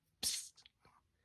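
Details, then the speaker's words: Sinko air compressor after repair of the bleeding (unloader) valve's bent spring: at shutoff a short sharp hiss releasing line pressure, then quiet; valve working normally. "This mean the valve lose the pressure from that tubing and make this line of the pressure which mean it's working."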